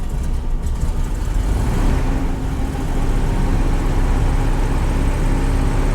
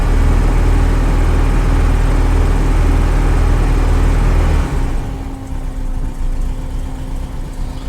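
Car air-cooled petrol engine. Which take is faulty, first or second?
first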